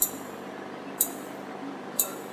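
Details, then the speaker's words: Illumina HiSeq reagent chiller at about 4 °C: sharp clicks once a second over a soft hiss as the condensation pump drains the rear reservoir to waste through the thicker line, a normal daily sound. "the collected liquid is pumped out to waste via the condensation pump you will hear a clicking sound daily coming from your hi-c"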